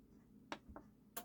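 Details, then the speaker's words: Onkyo TX-NR807 receiver from around 2010–2011, during HDMI board repair: two or three crisp separate speaker relay clicks in a quiet room. Missing the second click signals an issue. Normal relay operation. "Here's the first click. And there's the second click. That's what you want."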